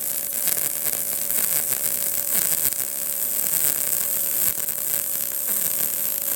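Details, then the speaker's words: Arccaptain MIG200 inverter MIG welder on a tacked, elevated joint; even, continuous crackling sizzle without popping or sputter; result judged a nice weld with full penetration and no burn-through. "proof is in the pudding nice weld full penetration didn't burn through so I mean I don't know what else to tell you guys this pretty wicked little welder"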